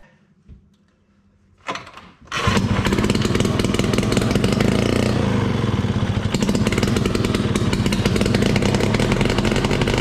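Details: 1968 Ski-Doo Super Alpine with Rotax 370 two-stroke, muffler off, after fitting cheap fuel line in place of the expensive line, removing the inline filter and plugging the primer vent: starts after a couple of pulls and revs crisp, loud and even. Running normally; fuel problem fixed.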